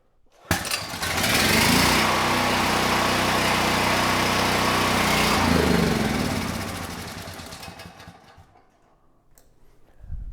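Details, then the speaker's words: Ryobi RY906500VNM 6500 W Easy Start generator (built 10/2020), light plugged in as a load: engine catches and runs steadily a few seconds, then sags and dies even with choke on; likely bad fuel, though the generator makes power. "Nice. All right. So, this time, different result. The engine did start. Uh for a second, I thought it was going to keep running, uh but I was not able to keep it running even with the choke on."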